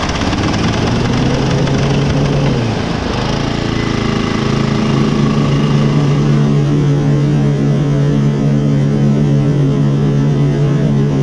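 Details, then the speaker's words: Toro Turfmaster mower running with blades engaged, cover off, uneven knocking underneath from a stretched deck drive belt with too much play; belt to be removed and replaced. "so as you can tell it's this belt there's just too much play"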